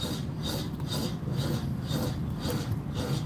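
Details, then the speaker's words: Vehicle recently fitted with new brake pads, driving on the road: rhythmic rasping scrape about every half second with wheel rotation that suddenly got loud; brake rubbing, owner suspects a brake pad wear warning, unconfirmed. "It's like, what the hell is rubbing there? Now we got another damn problem. Now we're going to have to check that out. That doesn't sound good. I had brake pads put on. That's probably is brake warning."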